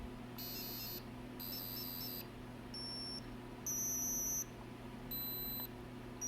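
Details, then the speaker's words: ALR PowerFlex 386 PC motherboard with corrosion damage, traces patched and 8042 reinstalled: high shrill beep pattern of short bursts repeating unchanged, stuck looping the same code, no boot; freezing the board didn't change it. "we're back to where we were before it's just running through the same code over and over again"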